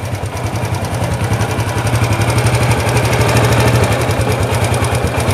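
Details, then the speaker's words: Honda Wave 100 idling after repair of a knocking noise, camera low by the engine: steady single-cylinder beat, about four a second, with the heavy knock gone and only a faint light valve-rocker tick remaining; normal idle. "Đấy, anh em thấy không, nghe rất là im rồi nhá."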